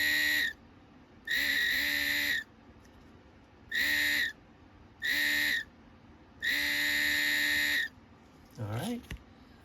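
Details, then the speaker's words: 2008 Mercedes GL550 (X164) multicontour seat air compressor motor, reassembled, with bench voltage applied: a clean, steady high whine in short bursts, spinning freely; motor running normally. "Looks like we've got a working motor."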